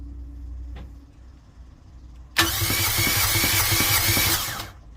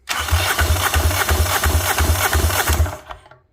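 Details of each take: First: Fischer Panda marine generator on a Tiara 34 boat, about 40 hours, cranked by starter: spins fast and evenly with no compression chuffs; internal catastrophic failure, metal found in the oil. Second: Fischer Panda generator engine on a Tiara 34 boat, found dead, cranked on a good battery after the jumper box proved too weak: strong, even compression chuffs about three a second, pushing out the exhaust; normal cranking compression, good motor.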